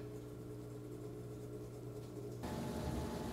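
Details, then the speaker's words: Frigidaire Gallery top-load washer in service test mode, third test (drain pump, pressure sensor, spin); drain pump hums about eight seconds, then spin motor whirs evenly; normal spin cycle. "all right so you will hear the drain pump come in for about eight seconds and now we have our spin going on two seconds after that"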